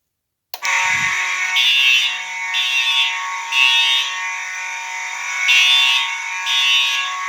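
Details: Fire alarm horn test: one horn sounding continuous (uncoded), another horn coded to code 3; harsh high-pitched steady blare with louder bursts pulsing about every two seconds; both sounding properly.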